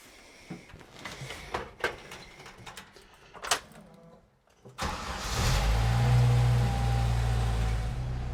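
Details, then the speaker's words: Jeep YJ Wrangler after fitting a new aftermarket exhaust with the pipe end cut shorter: a few clicks, cranking, a quick catch, then a low, even, quiet idle. Normal start and a healthy exhaust. "I think that's pretty good it's nice and quiet you could drive this thing every day"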